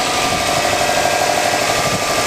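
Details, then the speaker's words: Sports car engine idling with the HHO (hydrogen) cell switched off, before the cell feeds hydrogen into the intake: steady even idle with a light buzzy hum, no knocks or misses; runs fine. "The engine runs just fine without the cell on."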